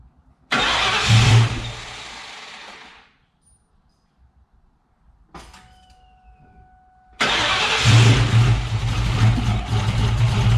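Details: 1999 Ford Mustang GT with Nemak engine, first start: two long cranking bursts, then engine catches and runs with a steady even beat; about 70 psi oil pressure, transmission line leak noticed.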